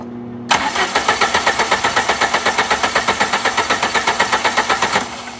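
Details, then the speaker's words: Low-mileage 1990 Plymouth Acclaim with a recently rebuilt engine, which died while driving and has fuel present, cranked with the coil wire arced for a spark test: even cranking at about four beats a second, never catching; no spark. "Spark so I had a feeling all right so we have no spark"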